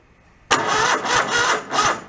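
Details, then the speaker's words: Mid-90s Toro Wheel Horse riding mower, starter jumpered directly: starter churns in slow, dragging bursts that sag as it turns; battery sounds low, engine seems to have compression. "Which it does. The battery sounds like it's a little low."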